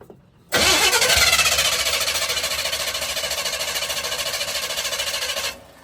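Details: 1982 Chevy K10 on a junkyard Holley 600 CFM vacuum-secondary carburetor: steady starter cranking at about 3.5 turns per second for five seconds, never catching; possible debris from sitting.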